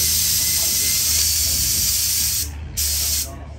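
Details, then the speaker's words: Extra aerobatic aircraft smoke oil line, clogged with debris, blown out with compressed air: loud steady hiss of air, briefly breaking off, as the line spits out gunk. "Time to do the nasty. I can hear it spitting. Yeah, you can hear it."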